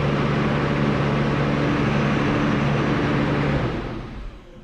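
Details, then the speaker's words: New Holland T7040 tractor after an engine swap, running with good oil pressure. The diesel runs steadily a few seconds, then winds down and stalls; fuel is not getting from the tank to the filter: fuel starvation stall. "Yeah, I'm running out of fuel. I gotta figure out what's going on. She runs, got good oil pressure. We just gotta get the fuel from the tank to the filter."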